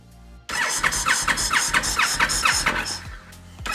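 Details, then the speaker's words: 2013 Honda VT1300 Stateline, crank but no start: starter cranks the twin in quick even pulses, about two a second, but it never fires. Spark is present and the fuel smells old; bad injectors are suspected, unconfirmed. "So we'll turn the key on, we'll turn the kill switch off, you'll hear the valve, the throttle body valve set, and then we will crank."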